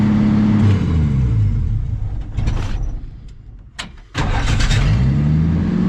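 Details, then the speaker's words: 1979 Ford F150 carbureted engine, fuel gauge on empty; catches, sags nearly dying, picks back up, slow to start and stay running; owner suspects a hole in the fuel line delaying priming, unconfirmed. "right back up so I'm thinking it probably has a hole in the fuel line taking a while to Prime that's right it doesn't want to start"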